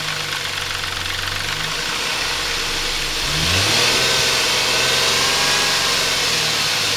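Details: Intrepid 2.7 after water pump replacement: fast steady metallic rattle about four times a second at idle, rising with throttle blip, caused by timing chain tensioner not released correctly during installation; fixed afterward.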